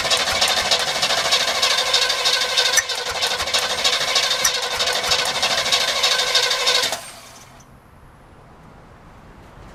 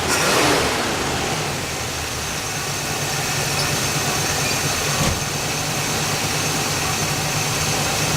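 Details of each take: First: Carbureted Chevrolet El Camino with old bad gas and starting fluid used: about seven seconds of fast cranking with uneven catches that never take. Crank, no start; the carburetor is suspected to be too open or out of adjustment. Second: El Camino first start after 15 years, battery fitted, fresh gas, primed carburetor, leaks fixed: catches with a brief rev, then settles into a steady, even idle with a smooth low hum and no misses; normal idle.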